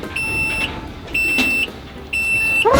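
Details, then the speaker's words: Golf cart in reverse while pressing the accelerator: steady high beeps, each about half a second, once per second over quiet background; normal reverse warning alarm. "ถ้าเนี้ยคือถอยหลังมันก็จะมีเสียงนี้ก็เหยียบคันเร่งมันก็ถอยหลัง"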